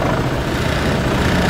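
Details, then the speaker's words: 2004 Honda Reflex scooter idling at about 1500 rpm after a cold start at 14°F, exhaust warming: steady, even, low putter with no knocks or misses at a slightly fast cold idle; normal, healthy. "so yeah that's a cold start on my 2004 Honda reflex he's idling happily at 1500 RPMs"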